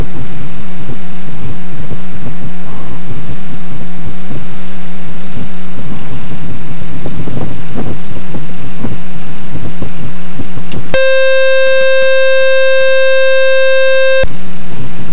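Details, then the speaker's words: Experimental RV7 idling while taxiing back to the runway. The engine drones, then a loud, steady high tone lasts about three seconds and cuts off. It is an avionics alarm of unknown cause, with low voltage later shown. "There is a way I can get rid of this alarm. It will make my life not as miserable."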